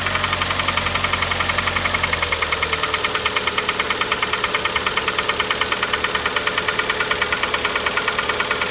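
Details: Kia Optima engine at startup: sharp, even knocking about three times a second over the idle, starting right after start-up; internal engine knock, engine eventually replaced under warranty.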